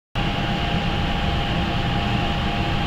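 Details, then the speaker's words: Shop furnace after repair (parts replaced): even steady rushing hum with faint constant tone, no rattle or scraping; much quieter than before. "But I tell you this largely because I want you to realize how much quieter the furnace is now."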